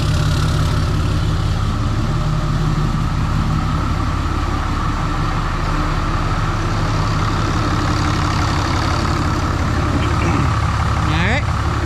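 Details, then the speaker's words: Freshly rebuilt 6.7 Cummins diesel during break-in, cold start the day after first fire-up: an even, steady idle clatter with no knocks or stumbles, good oil pressure, charging and no leaks; a normal idle. "Good oil pressure, charging. Sounds like a sewing machine."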